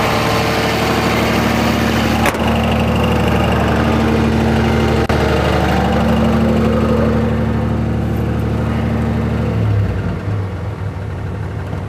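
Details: 2004.5 Ram 2500 Cummins diesel: steady idle with a regular tap about three per second that drops away; knock heard under load in gear and when the truck rocks, gone at idle in park; cause unknown.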